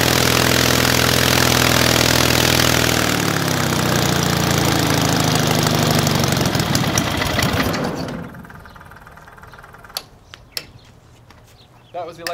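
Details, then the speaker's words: Hummel Engines 45 hp half-VW aircraft engine with electronic ignition, first start. It runs strongly and smoothly, then winds down and quits as the throttle is pulled back to idle. Engine stalls at idle; owner thinks the idle is set a little low. "It was working, but when I pulled it to idle, it died. I think my idle might be set a little low."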